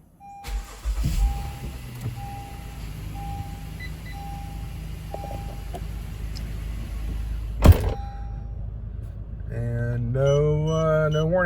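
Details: 2019 Honda Pilot EX-L V6, first startup right after installing an S-VCM controller to block cylinder deactivation: door chimes tick, engine cranks and fires, revs briefly, then settles into a smooth idle.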